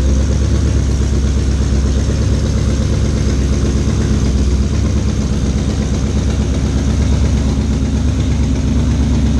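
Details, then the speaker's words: 2012 GMC Sierra 6.2 L V8 awaiting a Whipple supercharger build: rough, uneven idle with heavy low rumble and irregular knocking, about 2–3 per second. Cause unknown; valve springs checked fine except the rear cylinder by the firewall. "so as you can hear this thing sounds pretty [ __ ] terrible so we haven't been driving it still unsure what's broken"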